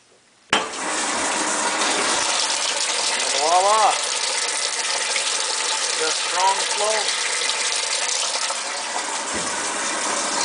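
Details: Washing machine on cold fill after cleaning clogged fill valve screens and flushing hoses for slow fill: a strong, steady rush of water starts suddenly with no sputter or surging; healthy fill after repair.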